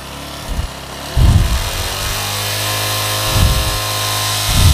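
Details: Yamaha Jupiter Z1 (earlier error code 46) settles at an even idle between quick clean throttle blips, with no misses or rattles. Revving lifts charging voltage to about 13.5 V, near 14: normal.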